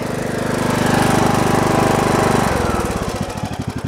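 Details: Briggs & Stratton Intek 17.5 HP lawn tractor engine that sputtered, around carburetor cleaning: puttering idle about three to four beats a second, then rhythm suddenly drops and stumbles unevenly; irregular idle, cause unclear.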